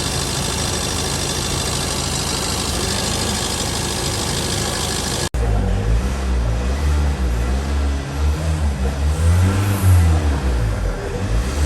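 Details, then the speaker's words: Tata diesel SUV after Liqui Moly Diesel Purge injector cleaning; even idle then smooth throttle blips rising and falling with no rattle or knock, earlier clatter gone, sound completely changed; normal healthy diesel. "आवाज पूरी तरह बदल गई है। Car की आवाज में निश्चित रूप से बदलाव आया है।"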